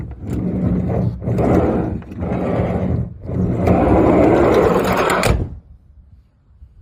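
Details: Toyota HiAce 100-series manual sliding door: loud clattering rattle in several bursts as the door is pushed along, then it stops dead; a worn part in the door runner is suspected, not confirmed.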